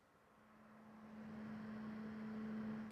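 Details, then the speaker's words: LIHTUN cigar humidor with the microphone carried around the unit: a soft, steady low hum, like a quiet computer monitor fan, builds and holds even; normal cooling fan hum. "Yes, you can kind of hear a fan in the back."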